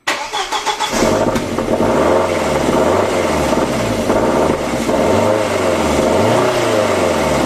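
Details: 2003 Audi A4 B6 1.8T BFB 163 PS after timing belt, water pump and timing job: cranks and catches, then fast idle with rough, wavering rumble and steady mechanical noise; abnormal engine noise, cause unknown.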